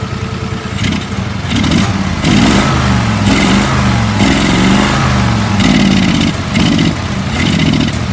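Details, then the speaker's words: Mower engine in a mudding mower; revs rise and sag about once a second when throttle is opened; carburetor needs recleaning of trash and fresh fuel; bogging under throttle. "Here where it's struggling. So I'll go through the carburetor again and make sure all the trash is out of it and put the fresh fuel on it."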